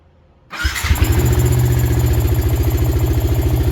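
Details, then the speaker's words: Suzuki Karisma 125 with a Yamaha R15 V3 engine swap, after the rocker arm fix with valve clearance reset to standard: engine catches at once and settles into a steady, even idle with no ticking; normal idle. "senang banget akhirnya suara mesin Karisma ini bisa kembali ke suara"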